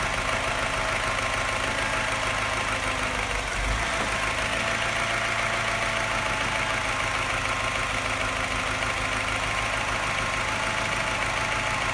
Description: Sounds not bad until the revs drop, then suddenly something changes and it starts sounding like a London taxi.